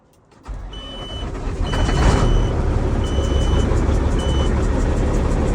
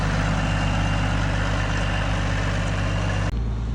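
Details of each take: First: Kenworth W900 diesel, first start after roadside turbo replacement: cranks, catches and builds to a heavy, slightly uneven idle roar, rough at first then smoothing as it idles. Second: Kenworth W900 diesel first start after roadside turbo replacement: deep steady idle with smooth even beat, no whistle, squeal or knock; engine and new turbo sound healthy.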